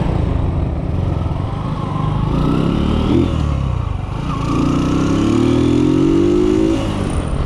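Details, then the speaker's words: Kawasaki Boxer 150 on a road test after conversion to a 4-pin CDI, replacing the failed original: single-cylinder engine pulls cleanly, pitch rising smoothly through each gear, no misses or popping; running normally. "One kick lang siya no? Para din siyang stock mga boss. Stock din yung anar niya."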